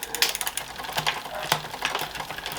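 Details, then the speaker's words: Planet X road bike with Shimano 8000/6800 groupset, workshop service: rear upshift hangs; one click does nothing, then after a second it jumps two gears. Freewheel ticks and chain clatter as it tries to move. Delayed rear upshift from a gummed shift cable. "right so I've I've gone up a gear there and it hasn't moved and we got I've gone up two gears and it's now it's finally jumped up two gears"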